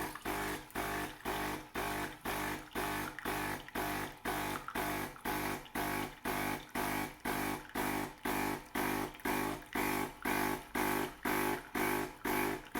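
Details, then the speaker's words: De'Longhi Caffè Corso ESAM2800 espresso machine after pump replacement (was buzzing loudly, not pumping): steady buzzing pump pulsing about twice a second with water flowing; new pump working straight away. "Okay, so now time to try out our pump. There we go. Working straight off the bat."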